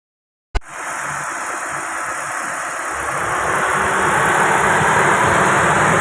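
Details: Proton Wira with a dirty throttle body at low, unstable idle: hissy intake rush and a slight uneven rise, causing stalling, low RPM and no power; the throttle body is then serviced and cleaned.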